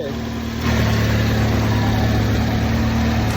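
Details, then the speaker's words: 2010 Ford Fusion after throttle body replacement and cleaned, greased electrical connections: short catch then steady, even idle with smooth low hum; check engine light off, running normally. "sounds a lot better yes it does do the light still off yeah that's what it was"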